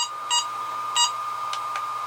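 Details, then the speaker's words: HobbyMate D6 Dual Lite battery charger; two sharp loud keypress beeps about two-thirds of a second apart over faint steady whine, normal button beep, later turned off in settings. "the first thing i'm going to do is go into settings because i don't know if you can hear how loud that beep is"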